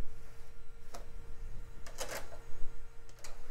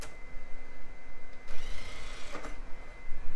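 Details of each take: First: CD burner in an early-to-mid-2000s PC: faint motor hum with sharp, irregular ticks and clicks as it tries to read a loaded disc; the drive fails to read and is broken. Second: Filthy DVD drive in an early-2000s PC, tested with a Sims DVD: faint steady whine rising as the disc spins up, light mechanism clicks; drive spins up normally.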